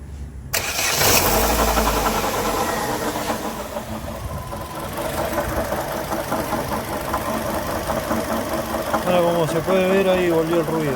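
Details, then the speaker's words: 2012 Chevrolet Sonic, noise gone with the serpentine belt removed and back when refitted: after the engine catches, a light rapid knocking rides over the idle and follows revs; apparently the water pump, to be replaced. "Bueno ahí como se ve parece Aparentemente la bomba de agua ahí es el golpeteo que se escucha bueno se va a tener que reemplazar la bomba"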